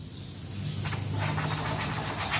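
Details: Picnic gas stove with weak flame: after clearing rust blocking the jet by blowing it out, a quiet start then a strong steady hiss of gas, showing the jet now flows freely.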